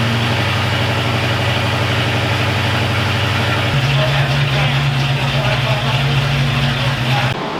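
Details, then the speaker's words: Ford Foxbody V8 freshly rebuilt in one day: steady idle stepping up to a faster steady speed, even firing, no knocks, ticks or misses; warmed to about 200 degrees before thermostat opened, no oil leaks, normal running. "right guys just as I thought thing runs fantastic looks great"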